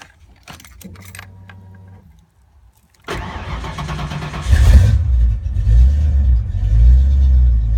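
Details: Ford Mustang with rebuilt A9L mass-air ECU, after brief fuel pump prime: starter cranks briefly, engine catches and settles into strong even high idle; healthy start.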